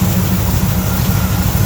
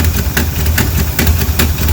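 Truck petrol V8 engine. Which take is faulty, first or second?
second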